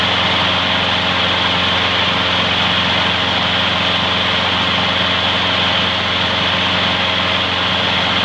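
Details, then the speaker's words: Trash-found mower after freeing a stuck carburetor float needle and topping up low oil: steady even buzz at constant speed, no misses or surging; smokes slightly, may clear after running in; runs great. "gildan smokes just a hair it might clear up after its run in a while so not to worry about that seems to run great"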